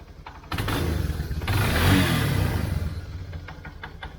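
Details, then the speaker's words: 1999 Yamaha Bear Tracker 250 ATV after fuel flush and carb cleaning, Seafoam in float bowl: catches after a short crank, revs briefly, settles to an uneven idle; runs again. "I put seafoam in the bowl, so that's what that smoke's coming from. It's just seafoam burning a little carbon off the top of the piston and let that flow through that jet hole."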